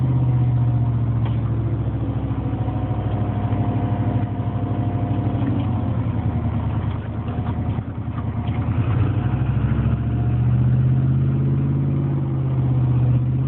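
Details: Engine at steady idle with a dull, loosely even tapping around three per second under a low hum; knocking noise at idle, owner suspects piston slap, unconfirmed.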